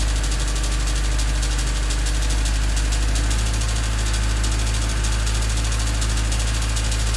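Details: Honda D16Y8 after a new header: fast light chatter, about three ticks a second, over an even idle, quickening as throttle opens; stethoscope places it at the head near cylinders 1–2, owner suspects valves rather than rod knock.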